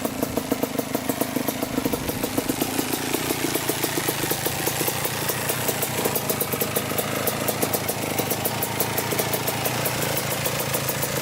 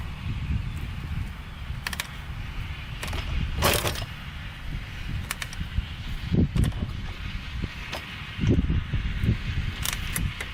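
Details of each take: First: 1987 Kawasaki Tecate 4 250cc two-stroke quad, after backing out the air-fuel mixture screw that had been turned fully in: settles into a steady, crackling idle with a fast, even beat, no misfires or hunting. Normal idle. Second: 1987 Kawasaki Tecate 4 250cc two-stroke quad: repeated kick-start strokes thump and clatter but engine never fires, because the kill switch was off (middle position is on); no-start.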